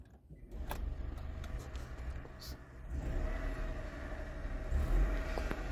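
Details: 2000 first-generation Honda Insight hybrid started from inside the car: after a quiet pause the engine fires promptly and settles to a smooth, steady low idle with no rattles or misfires; normal start.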